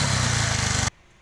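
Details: Bajaj Maxima Z autorickshaw on LPG that jerked while running, started after repairing the gas kit: an even, steady engine beat with no stumble or jerk, then a clean cutoff; smooth running after the repair.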